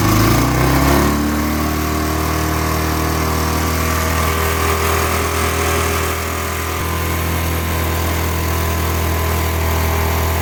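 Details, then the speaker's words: Steady, even thump of a 350 cc Bullet single at idle after a second-kick cold start in winter, unused about one and a half months; firing smooth and regular with no knocks, healthy. "देख सकते हो आप ये इसकी आवाज है 350 सीc वाले engine की आवाज"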